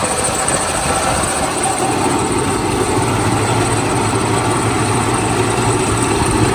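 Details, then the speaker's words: 1977 Lincoln V8 first run after three years stored, known vacuum and exhaust leaks, varnished fuel filter, heavy smoke, bad water pump, Berryman B-12 added: loud uneven lumpy stumbling idle that never settles; rough idle. "First time running in I don't know how many years. The good thing is, even though the fuel filter looks like it's full of varnish and it's smoking like crazy, it's running."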